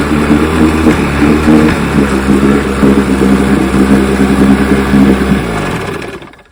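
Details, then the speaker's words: 1960 Johnson 10 hp outboard after gearcase rebuild, carburetor high and low speed needles just turned in: buzzy two-stroke with a slight stumble picking up speed, then dying away, lean sneeze at low idle; backing out a quarter turn improved it. Hesitation on acceleration. "Got a little bit of hesitation when I accelerate, but lean sneeze at low idle."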